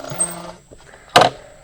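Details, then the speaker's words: Nearly new Surron electric bike with 165 miles, riding: brief high steady squeak then a short rough scrape as the rear brake rotor rubs the pads in a tight fit. "That is this back brakes. And the bike is still pretty new. So it is tight fit there."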